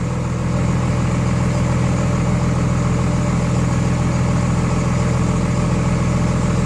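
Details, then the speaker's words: 24-valve Cummins diesel after installing DDP 50hp nozzles (4200 psi pop) to cure idle miss, Quadzilla tuner: even low clatter settling at slow idle about 850 rpm versus factory 900, no misses or knocks; normal idle. "the idol is remarkably lower with with these nozzles 250 horsepower nozzles on there or what factory is that 900 rpm now we're out like 850"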